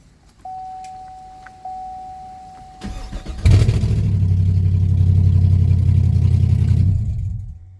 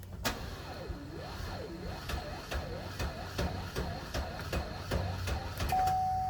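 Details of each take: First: 2016 Camaro SS after starter replacement, catalytic converter still off so exhaust is very loud: brief tone, starter cranks quickly and the engine fires into a loud, steady, deep rumble; starter working normally. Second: 2016 Camaro SS, burning-wire smell, battery ruled out: engine turns over sluggishly, about two and a half labored pulses a second with a warbling whir, never catching; slow cranking from a failing starter before replacement.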